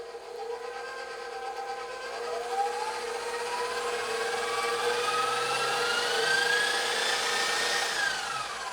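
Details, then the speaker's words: 20-year-old KitchenAid Professional 600/Pro 5 Plus mixer after full rebuild (new gears, motor, speed control board), tested before upper housing fitted: smooth motor whir, clean gear whine rising with speed, no knocks or grinding; normal running. "Let's go ahead and test this puppy, make sure that it is functioning properly before we put the upper housing on. Take a listen to that. That sounds great."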